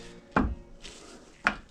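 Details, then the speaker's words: Bayliner with 5.7 V8 MerCruiser, Alpha Gen 1 outdrive removed from the boat: joint worked by hand gives two sharp metallic pops about a second apart, matching the clunk; a shattered universal joint cross bearing popping out. "So, that obviously that shouldn't be doing that. That sounds That sounds very much like the noise, doesn't it? The noise. So, if that's repeatingly popping off like that."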